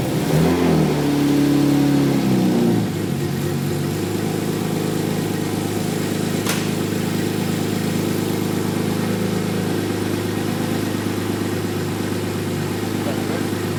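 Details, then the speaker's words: 1JZ-GTE-powered LJ Holden Torana with a loud exhaust: a brief rev settles into a steady idle with a deep, droning boom underneath, an odd exhaust resonance of unclear cause. "it's got this weird resonance or something"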